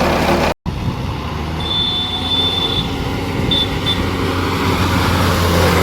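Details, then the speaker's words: VST Shakti MT 270 small tractor before gearbox repair: loud noise in 2nd and 3rd gear. Rough rumble under way with a thin whine riding over it, pointing to worn gears and bearings; gearbox gear whine. "आपल्या ट्रॅक्टरच्या दुसऱ्या तिसऱ्या gear मध्ये आता फार जास्त आवाज येतो आणि आता पण आवाज येतो बघा आता टरर आवाज येतो"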